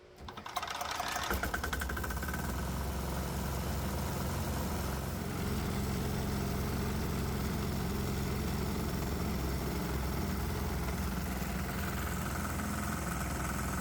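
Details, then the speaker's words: 196cc 3hp single-cylinder diesel fed methanol/water fumes with the vaporizer off as a baseline: it runs fast with a harsh hammering knock on every firing stroke. RPM is up on the tachometer and exhaust gas temperatures are kept down, but the knocking is punishing the engine. "Oh wow, the engine's knocking like crazy. Over at the tachometer, we can see the RPMs are up, which is insane because the vaporizers aren't even on yet."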